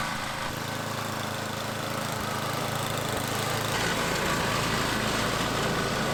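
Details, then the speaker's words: Tecumseh-engined MTD/Troy-Bilt snowblower after cleaning a gunked-up carburetor and dirty gas tank: small single holds a steady, even beat about four per second, no surging or stumbling; running normally. "totally gunk up and dirty and the gas tank was dirty but now it seems to be working okay"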